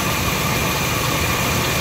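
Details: Nissan pickup 2.4 with power loss, after replacing faulty MAF sensor with original Nissan part, reading about 2.4 g/s: steady, even low rumble with no misses, surges or hunting; idles smoothly.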